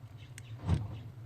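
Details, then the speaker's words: Nissan 350Z hatch release actuator triggered by a newly installed BCM bypass switch inside the cabin: single short dull thunk, the actuator firing cleanly as it should. "Should be able to hear the actuator sound when I press this button right here."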